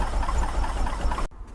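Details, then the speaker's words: Air-cooled Porsche 914 flat-four, 2056cc on dual Weber carbs, out of gear: low, even burble idling smoothly on its own before cutting out cleanly; idle much improved after carb adjustment. "And now, at least the idle's so much better. I've not tried engaging gear, I've not tried doing anything."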